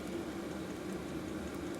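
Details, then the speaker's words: New Maxpeedingrods 5kW 12V diesel heater in shed, mic right next to it, set to 25 degrees: steady fan-like rush with soft low rumble, no pulsing or popping; running healthy at full output. "So you can hear it going away now. It's like a fan."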